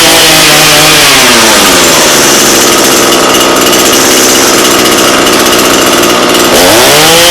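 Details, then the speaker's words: Echo PE-225 two-stroke edger with a non-adjustable carb that had run only on choke with little power; after richening the carb, it runs fast and steady with slight rhythmic four-stroke breakup, a healthy slightly rich setting. "okay so that sounds pretty good I'm not gonna lie um there's something called for cycling it where kind of sounds like you it's breaking up and it's doing that pretty good"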